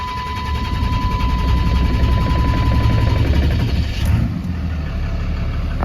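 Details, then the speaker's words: 2010 Dodge Ram 5500 turbo diesel: uneven, lumpy low rumble that never settles into a clean idle; slow, hard starting that takes a minute to catch. "only issue with this truck or concern is it's got a little it's got got a got a rough time starting so takes a minute to"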